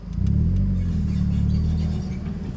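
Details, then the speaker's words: Mazda Miata with brand-new Exedy OEM clutch kit and lightweight flywheel; deep droning groan while slipping clutch from a stop in reverse, goes away with pedal in; also on decel in 1st, quieter in 2nd; cause unclear: clutch noise when slipping. "clutch pedal in sound goes away and then as I slip it back out it comes back"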